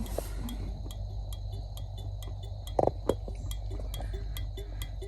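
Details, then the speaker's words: 1969 Mustang at idle, turn signals tested right then left: crisp, evenly spaced flasher clicks about three per second; flasher works normally, though broken switch catch means left must be held down. "hear that flasher opening and closing. That was the right side. That's the left side. So they work."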